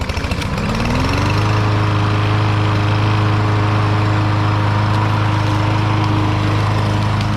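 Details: Troy-Bilt TB110 mower rescued from the trash after sitting, test run after refitting the air filter: fires up, pitch climbs, then holds a steady even drone with no stumbling; earlier smoke gone, likely from the muffler.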